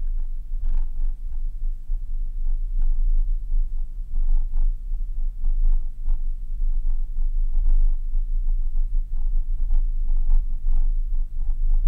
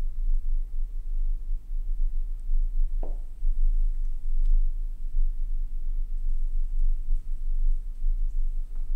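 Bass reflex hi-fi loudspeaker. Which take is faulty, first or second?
first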